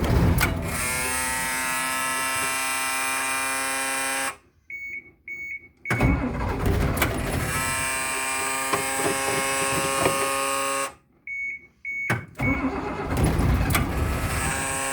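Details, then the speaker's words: Bus cold-started after two and a half to three weeks unused in about 10-degree cold, wait-to-start light observed: two long cranking bursts with even starter churning, never catches; crank no start. "i'm gonna pull it i'm gonna pull the throttle up a little bit that's what this is for it's turning over it just ain't firing off"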